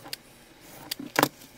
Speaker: hear that little squeak there that means the blades starting to get dull